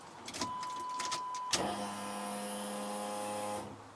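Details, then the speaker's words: Pontiac Firebird (third gen) with 5.3 LS swap, new fuel system with stainless sending unit and braided lines, on the factory plug with a new primary wire: key on, a click, then a steady high electric whine for about two seconds; normal fuel pump priming. "Hey, that sounds good. There we go. She's working. Turn on the key and the pump comes on."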